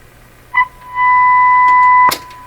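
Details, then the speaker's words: Canadian Westinghouse Model 684 radio, broadcast band, fed a fixed-frequency test signal to check the IF bypass: steady, clean tone from the speaker with no hum or distortion; signal passing properly. "So now I can get an idea how much signal I'm sending into the radio versus what's coming out of the speaker. And this is relatively good news."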